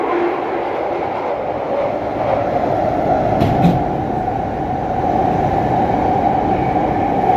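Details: London Underground Jubilee line train in motion: loud, steady roar with a shrill ringing tone held on top; excessive running noise, cause not identified.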